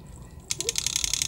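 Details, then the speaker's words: A979-B RC truck with a 38-tooth pinion and Castle brushless motor, barely given throttle to creep: rapid ticking stutter of about twelve clicks a second. It goes away once moving; other brushless motors didn't do this; cause unconfirmed. "but when you first start to get on a throttle really easy like you know just trying to creep it does that so if you hear that in my videos that's that's what's going on"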